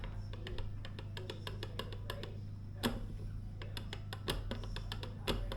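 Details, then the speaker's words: Arrma Outcast 4S V2 RC truck, spur and pinion turned slowly by hand after adjusting mesh with slight rock, top bearing centred: light even ticking all round, correct mesh. "Just go all the way around the spur gear, and if it all sounds good all the way around, you know you're right."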